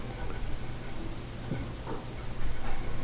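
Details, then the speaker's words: Kobe vent hood: the right fan has a low hum with rough, grindy ticking and spins poorly from too much friction. Its bearing is likely rusted after rainwater dripped in. The left fan sounds smooth. "a little grindy this one sounds good on the left smooth on the right a little grindy and also uh doesn't spin as well maybe too much friction"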